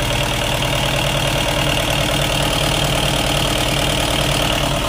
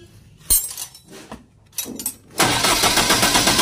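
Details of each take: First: Hard-starting diesel genset after water-contaminated diesel was drained and replaced: the engine catches and settles into a steady, even diesel clatter at idle with no stumbling or misses; normal idle. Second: Diesel genset, hard starting: several sharp bursts and rough cranking, slow to catch, settling after about two seconds into a fast, busy run. Fuel found to contain water; being drained and replaced with fresh diesel, return hose checked.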